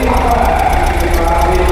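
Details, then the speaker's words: Ford 2.0 L diesel car at auction, started with a jump start. Even, steady diesel clatter at idle with no knocks or misses, and no warning lights on the dash. Normal idle. "sounds all right got cool looking in inside no lights on the dash"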